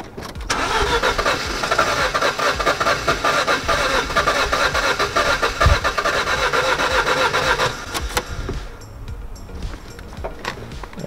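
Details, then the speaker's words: 2007 Ford Focus after DIY service with new spark plugs and plug leads: starter churns rhythmically about seven seconds without catching, then stops; crank no start. "i know for a second there i was working so you're telling me that it's not starting"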